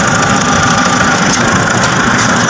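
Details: Nissan NV350 diesel during oil change and check-up, after the fuel filter was drained via its bottom plug: even diesel clatter at idle with a faint high whistle, no stumble or hunting, idling steadily.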